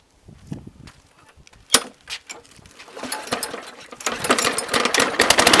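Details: Briggs & Stratton lawnmower after full tune-up (blade, spark plug, air filter, cleaned carburetor, new needle and seat, carb gasket), previously would not start: fires unevenly at first, then catches and builds to a steady rising buzz; starting and running properly.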